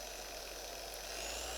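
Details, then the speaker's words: Griot's Garage G8 mini random orbital polisher, 5 mm orbit, locked at speed one: quiet, steady, smooth hum with no chatter, vibration or gear noise; runs healthy. "let's lock it in place so that's speed one and you can hear how smooth it is there's no chatter there's no gear noise"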